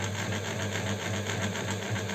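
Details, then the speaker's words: Astralux M10 electric sewing machine that hummed but wouldn't sew, after oiling, runs with a low motor hum and fast rhythmic clatter, with scratchy squeaks; the oil hasn't penetrated yet and the mechanism still binds. "Все я ее смазал и вот сейчас слушайте слышите как она еще скрипит как несмазанная то есть масло еще не проникла потому и надо включать на подачу подклинивает еще раз надо заливать сейчас маслом"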